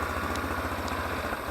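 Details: Taotao 150cc ATV, newly assembled, start after pushing in the kill switch and holding the brake: quick, even putt-putt pulses, roughly eleven a second, steady low beat, no misses; normal single-cylinder idle.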